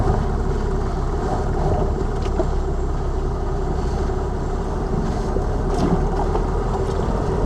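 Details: Lada Vesta Cross over bumps after dealer warranty replacement of front shock absorbers/struts (right SAAZ shock); recorder plus cabin phone; low road rumble, faint light clicks, no thumping; front strut quiet, knocks gone after replacement.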